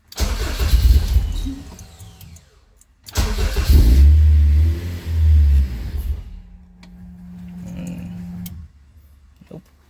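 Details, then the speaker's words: Rebuilt Honda K24 in a CRX on first start after reassembly catches and runs rough with uneven low rumbles, then dies twice even with the accelerator held down; will not hold idle, cause unknown, before a base map was installed. "she wanted to go turned on for a second stall it all by itself try it again okay uh I'm not sure why she's turning off by herself"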